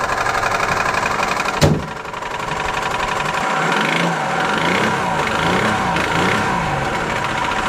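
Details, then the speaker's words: Lexus SUV run out of oil, cranked and started on a jumper box with weak battery: rough, uneven idle with a hard, irregular knock riding over it, like a badly worn bottom end; engine knock from oil starvation damage suspected. "The engine is turning all the way over. That sounds pretty good. The sound that you're hearing is $20,000 just going out your pocket."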